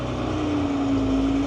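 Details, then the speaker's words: JCB Fastrac 3170 after transmission rebuild, clutch test with engine revved slightly: revs sag evenly as the drive takes up at about 50% clutch, then the engine is killed; no slip or judder, clutch correct and potentiometer calibrated. "So your clutch is bang on. Your potentiometer is calibrated."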